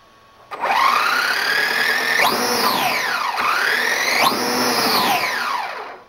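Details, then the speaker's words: DHK Maximus RC truck static test on a garbage can with new motor and ESC replacing the cogging, failed stock ones; clean whine sweeping up and down with throttle, smooth low to high revs, no stutter, very smooth running. "this is now a very smooth running truck i can't wait to take it out shoot a new video tomorrow in the daylight and show you what how it runs so that's it for now thanks for watching"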